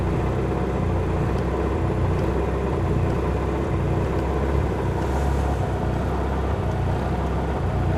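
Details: Mitsubishi Lancer Evolution MR RS idling: low rumble that wavers instead of holding even; rough idle, cause not yet pinned down.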